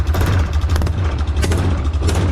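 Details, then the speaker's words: Yamaha Rhino 660 UTV single-cylinder at idle in neutral: lumpy idle with a rapid puffing chuff on every firing stroke; head gasket blown, head bolts found hand-loose. "now you can hear this head gasket so blown look at this"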